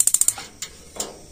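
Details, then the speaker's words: Gas water heater normal ignition sequence: five quick sharp igniter ticks about fourteen a second, then two separate clicks under a second later as the gas solenoid valve opens. "jadi pasti urutanya memantik DVD selang tidak sampai satu detik baru selenoid ini membuka"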